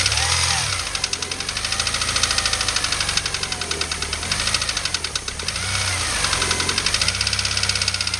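Fast, even ticking knock rides over the engine's drone as it's loaded in first; it's a real knock, but the source isn't pinned down.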